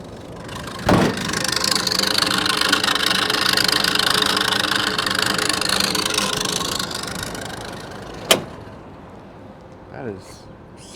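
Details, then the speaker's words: Make-line cooler blower unit on an HVAC call: blower spins up with a flapping, slapping hiss that swells and fades, like a broken belt; the belt was found loose and tightened temporarily until a replacement is fitted. "I can hear that it sounds like a belt broke or something"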